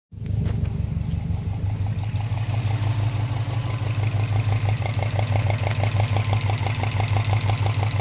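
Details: Subaru Impreza WRX boxer engine at warm idle after running about an hour, recorded on the passenger side: steady low rumble with a repeating burping knock about three per second from cylinder 1 or 3; owner suspects piston slap; cause unknown.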